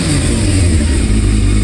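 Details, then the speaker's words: 1998 Yamaha Thundercat 600R (YZF600R) four-cylinder started on choke after sitting a while, after its no-start was solved, then revved five times and more: a deep, even roar that swells and settles with quick blips, no misfire or knock; runs cleanly. "So, I'm going to give you five revs cuz we got five subscribers. So, listen to this beauty."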